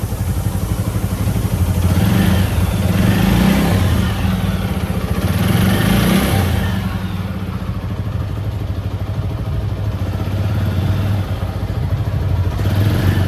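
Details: TVS Apache RTR 160 4V revving up and settling, light clatter ticking above the exhaust note from the top end; tappet noise suspected, valve clearance or timing possible causes, not confirmed.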